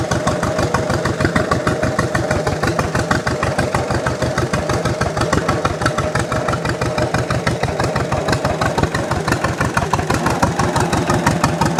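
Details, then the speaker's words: 1929 John Deere GP two-cylinder tractor after first start, warming up: slow, even putt-putt about three beats a second, steady and unlabored, sounding better the more it runs; normal running. "the more it runs the better it sounds the more it runs the better it sounds"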